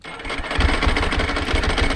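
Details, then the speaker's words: 2001 Ducati 996, about 20 years old, at startup idle: loose busy clatter over a lumpy V-twin idle, like rocks in a dryer; normal dry clutch rattle, nothing wrong. "man that dry clutch sounds like a bunch of rocks in a dryer"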